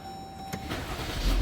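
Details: Jeep Grand Cherokee WK, 3.6 V6, cylinder misfire code: brief lumpy start with stumbling low beat as it catches, one cylinder repeatedly misfiring; ignition coil or spark plug suspected; misfire at start-up.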